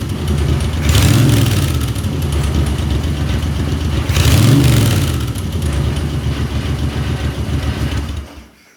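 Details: Moto Guzzi twin on first start after full top-end rebuild with new piston rings: catches and runs, two firm revs a few seconds apart, then idles down and cuts off; sounds healthy, normal running and revving.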